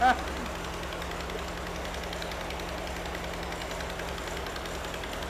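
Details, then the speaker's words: Mystery VW engine of unknown history, rebuilt from used parts, on its first start and still cold: steady, even idle with a low hum and no bottom-end knocking, despite heavy oil; a slight exhaust leak is present. "I'm actually kind of surprised that I don't hear any knocking although I did basically use pancake syrup as uh as oil so who knows"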